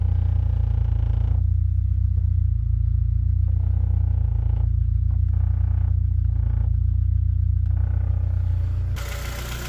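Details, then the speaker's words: Honda Civic with K20 engine swap at idle; loose, uneven knock, quiet at the cam cover, iffy around the middle of the block; owner not convinced it's rod bearings, possibly piston slap; teardown found damaged cam caps and copper in the oil. "can hear the knocking hear it there on d-cell i've had the screwdriver on the cam cover can't hear nothing sounds a bit iffy down around about here though in the middle"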